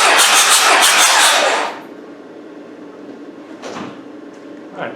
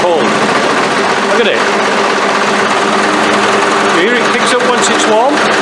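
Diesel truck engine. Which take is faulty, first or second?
second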